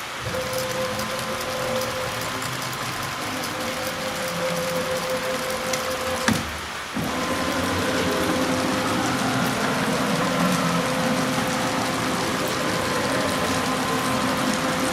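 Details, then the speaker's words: Onefinity Gen 2 Journeyman CNC gantry jogging at Fast speed, squared and oiled per maintenance guide: steady mid-pitched stepper hum, light ball screw ting, brief pauses between moves; smooth and even, owner calls it 100% acceptable, normal axis motion. "But I'm going to tell you, the sounds that I hear from this machine, the stepper motors, the ball screws, and so on and so forth, are 100% acceptable."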